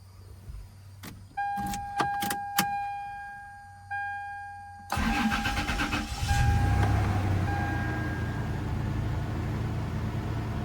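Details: Toyota Tacoma first start after new coils, plug wires, air filter and battery reinstalled: door chime, short crank catches quickly and settles into a smooth, even idle without stumbles; runs normally.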